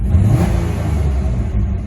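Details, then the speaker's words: Ex-military GM auction vehicle with a fuel-cutting theft-deterrent system: the engine swells under throttle but falters unevenly, a hesitation with a little popping; owner suspects bad plugs or a very dirty air filter. "but listen to her she she uh has a hesitation here"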